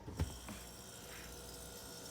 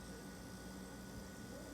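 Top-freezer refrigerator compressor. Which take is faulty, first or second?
first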